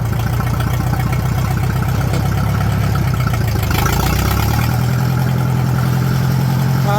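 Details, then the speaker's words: Tractor at idle with its muffler busted completely off and the tube broken off the manifold: a deep, loud, blunt, unmuffled open bark. Loud exhaust from the missing muffler. "The tube broke off the manifold and everything, so this thing's loud now."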